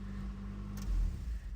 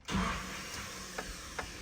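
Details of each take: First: Nissan D21 Hardbody KA24E 5-speed after replacing the dead starter with a used one; steady low even idle rumble with no knocks or misses, engine healthy. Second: Nissan D21 Hardbody, KA24E, 5-speed, right after a used starter was installed. Key turns and a light, steady electric whir spins with no cranking; the starter spins but its drive never engages the flywheel. Starter spinning without engaging.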